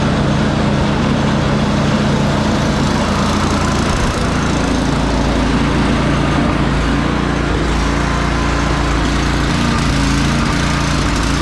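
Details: Free salvaged snow blower, oil checked and tires filled, plugged-in electric start after priming; steady fast single-cylinder putter at constant speed, no surging or stumbling; normal running.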